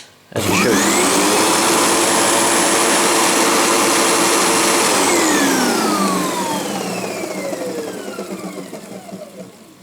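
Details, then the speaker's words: Sebo G1 upright vacuum that had started vibrating hard and clunking; after the brushroll was cleared of hair and a loose part was found, it was reassembled. The motor spins up to a steady whine with no rattle: no vibration now, though new parts may still be ordered. "plugged it in turned it on and there's no vibrations now it just works"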